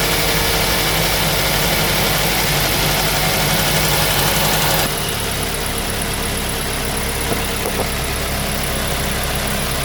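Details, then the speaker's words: 2005 Mazda 3 2.0L 4-cylinder, 5-speed manual, after removing and manually cleaning all four injectors for random misfire; catches and settles into steady even idle, smooth regular beat, no stumbles; running fine, no misfire. "guys guys running fine no any misfiring all good"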